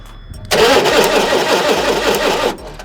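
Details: Forklift ignition system being diagnosed after cleaning: about two seconds of even starter cranking that never catches or picks up speed; cranks but won't fire, ignition suspect.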